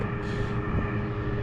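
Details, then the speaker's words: Trane Voyager commercial rooftop unit in heating mode, thermostat cranked up: continuous low even rumble with faint steady hum, no rattles or squeals; blower motor running normally, unit heating despite reported no-heat complaint. "This one is heating. Blower motor sounds like it's running."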